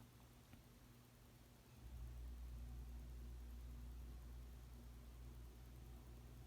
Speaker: and then noise you heard is just the uh the ac kicking on because we got central air in our house so that's what that is